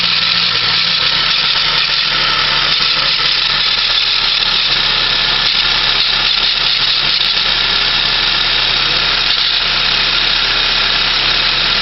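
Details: 1996 Saab 900S at idle: a dominant, unchanging high-pitched whirring hiss over a steady idle, coming from the belt and pulley region of the engine; cause unknown.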